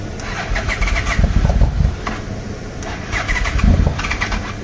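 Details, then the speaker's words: 1996 Yamaha Royal Star Tour Classic, 29,000 miles, sat unused for a while and started on jumper cables: after cranking, the engine fires unevenly in ragged coughs about four a second before settling; owner suspects bad old fuel. "Come on, baby. Yeah, looks like we ain't got no good gas in here. Uh-oh."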